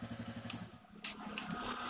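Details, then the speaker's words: TVS Radeon BS6 motorcycle that would not self-start in gear, after clutch switch was refitted: with clutch pulled in, starter whirs in quick even pulses and the single cylinder catches and runs steadily, a normal electric start in gear. "इसका clutch हमने दबा लिए यह जो clutch दबा लिया है और अब बाइक स्टंट करती है देखो स्टार्ट होने लग यह बाइक"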